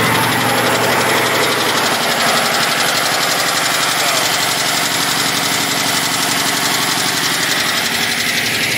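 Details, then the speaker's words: Cummins ISX 870 diesel at about 1400 rpm, during injector cleaning: sharp regular metallic rap about twice a second over steady running; fuel knock blamed on an injector, disappears when the return line is squeezed, owner now suspects a bad fuel pump. "let's see if you guys can hear that clacking noise first and i know it's the injector because if i start playing around with the uh the solenoids over here got her about 1400 rpm"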